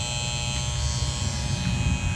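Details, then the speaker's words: Goodman AC condenser, not cooling with water in the basement, unit dirty from missed maintenance: constant low electrical buzz with a rough, rattly edge from the contactor; failing contactor to be replaced. "That buzzing sound is this conttor."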